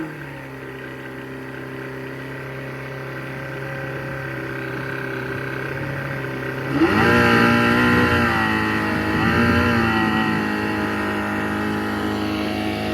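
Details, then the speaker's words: Two-stroke Johnson outboard, throttle varied: smooth even note climbing sharply, holding, easing back, no misses or knocks; some prop cavitation noted, nothing wrong with the engine. "that's him on the throttle varying the speeds nothing wrong with the engine"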